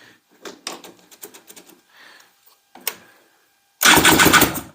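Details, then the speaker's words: Honda FL350 with freshly rebuilt, reinstalled engine, originally a no-spark issue: a few clicks, then about a second of loud, rough churning as the starter turns it over; spark confirmed afterwards. "there we go it turned over did you hear that listen to it again guys"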